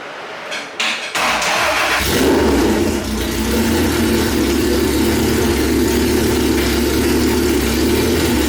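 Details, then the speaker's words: 1995 Honda Civic on E85 with a newly installed AEM E85 flex fuel in-tank pump and new fuel filter, started late at night: short crank catches at about one second and settles into a steady, even idle. Healthy start. "So I'm gonna go ahead and start up the car and pretty much wake up the neighbors a little bit. It's getting pretty late, so I'm just gonna crank it over and turn it on, let it run for a little bit just to make sure that it's running, and then I'm gonna shut it off real quick."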